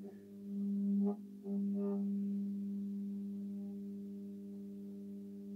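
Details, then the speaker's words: Restored Projelux bell luminaire with Osram HQL 125 W mercury lamp: steady low fixed-pitch hum after switch-on, normal magnetic ballast purr; a rattle suspected from a loose closing screw. "Voilà, donc on peut entendre le ballast ronronner."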